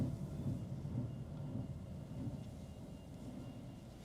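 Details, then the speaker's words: 2013 Chevrolet Aveo, driving under load: uneven lumpy low chuffing like a steam train, owner fears further driving causes harm; heavy misfire, suspected spark plugs or coil pack. "somebody people are looking with sounds like uh sounds like I'm in to steam locomotive well there's probably no point me going much further in this because I'm probably just doing it it more harm"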